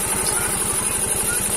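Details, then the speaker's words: Yamaha Mio M3 125 single-cylinder scooter after cylinder block and piston replacement, damage caused by running out of oil, on a straight open exhaust; steady even putter about eleven beats a second, no knocking, smoother than before repair; normal idle. "ini sudah nyala mesinnya ya ini sudah ya saya pakai knalpot dan kita saksikan kita biarkan sama-sama lurus suaranya ya"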